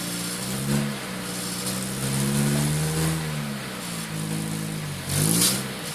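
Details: Pumaspeed muffler on a petrol car: throttle blips give a droning, slightly raspy exhaust note rising and falling with revs, a strange noise.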